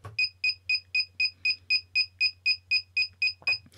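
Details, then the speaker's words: Naze32 flight controller buzzer set up in Cleanflight, beeper mode triggered by a transmitter switch: sharp high-pitched beeps about four per second, the continuous lost-model alarm. "And that beeping is the lost model alarm. So, if you have a light on there, obviously the light will be pulsing in time to that noise."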